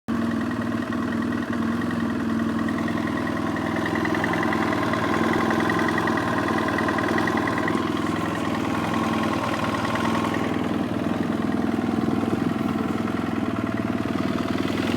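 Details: 2007 BMW F800S twin, hot engine idling with a loose, hollow knock suggesting piston slap; the head gasket is also weeping. Cause unconfirmed.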